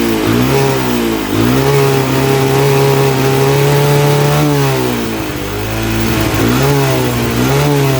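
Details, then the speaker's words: 1983 Honda 200E three-wheeler single-cylinder with the air filter refitted and idle adjusted: revs surge up and down with uneven firing instead of holding steady; something is wrong with the carburetor. "Yeah, I don't know what that was about. So yeah, something's going on wanky with that carburetor."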